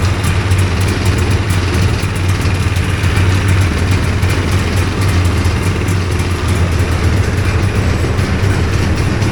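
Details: Two-stroke hovercraft engine, newly fitted coil, carbs sorted after trial and error, holds an even, steady idle with a consistent low drone, no stumbling or surging, while warming up; sounds good, normal idle.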